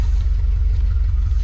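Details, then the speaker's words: Early-1980s (81–82) Dodge 1-ton truck V8, sat about two years, nearly empty tank refilled with fresh fuel: deep even low rumble with steady lope, no knocks or misses; idling like it should, normal idle. "um and it's idling like like it should sounds great I really want to drive it home"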